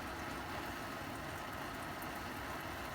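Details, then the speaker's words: Roughly 60-year-old army mountain stove (owned since 1972), first run in about 15 years, at full flame under a steaming cup of water: steady, even rushing roar with no sputter or pulsing; normal clean burner roar. "you got to remember this stove I Haven run this stove for probably well probably 15 years I haven't started the stove and it flared right up right"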